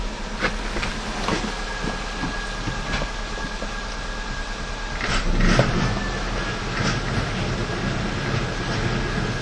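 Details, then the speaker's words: Kia Picanto with CV joint noise felt in the cabin as left side: irregular crunching clicks with wheel spinning, heard clearly from the pit on the right outer CV joint, though another shop had diagnosed the left outer. "слышен хруст и яме я вам сейчас покажу как этот хруст вылезет"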